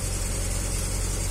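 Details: Suzuki Carry 1.0 that stalled on the road, running again after broken, aged spark plug wires were found and replaced: steady, even low rumble with no stumble or skipped beats. Normal idle, running smoothly on all cylinders.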